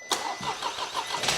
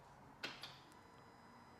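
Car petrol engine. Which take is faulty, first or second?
second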